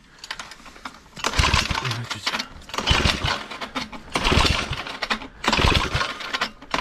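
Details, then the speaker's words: Cheap secondhand small tiller (motoculteur), air filter removed and starting fluid sprayed into the intake: pull-start bursts every 1.5 seconds, turning over but never running; owner suspects fuel not arriving, possible clogged carburetor, cause unconfirmed. "que l'essence arrive bien parce que là j'ai l'impression qu'il y a un vrai problème parce que même au start peace ça démarre pas"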